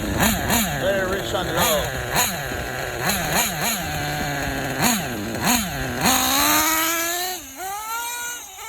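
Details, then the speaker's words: Small nitro engine with LRP 32 Spec 2 carb on a K5.9 sealed backplate idling unevenly, buzz surging up and down; low-end mixture too rich, wants more fuel on top. "It's not as stable as a Nova Rossi carb. See, it's asking for fuel on top, but if I put more fuel on top, it richens the low as well."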